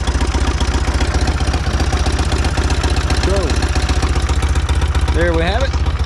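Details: Polaris Sportsman 700 twin EFI, first start after a fuel pump replacement with a fully charged battery: strong, regular low thumping at a steady idle, about four beats a second, no stumbles or knocks. Runs again; normal idle.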